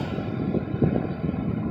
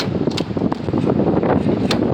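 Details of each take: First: Ford Crown Victoria fuel filler neck "fake full" issue: after filler-neck hack, steady low rush of fuel flowing into tank uninterrupted, no pump shutoff clicking. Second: Ford Crown Victoria fueling: rushing fuel broken by sharp clicks as the pump nozzle keeps shutting off early; filler neck and tubing issues make fuel rush back up, tricking the pump into sensing a full tank.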